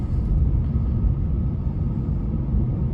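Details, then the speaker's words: Lexus IS on the road after silicone was sprayed on the rear wheel shield insulation to cure creaking behind the rear seats: steady low cabin road rumble, no creaks or pops on the stretch where it usually cracks and pops like crazy. "yeah usually I'm making the second Loop in this area it's cracking and popping like crazy but I don't hear it"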